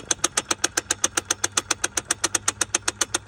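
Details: 986 SL560 at idle: sharp, even ticks about two and a half per second above a quiet idle; suspected cruise control actuator ticking while cruise is off, not confirmed.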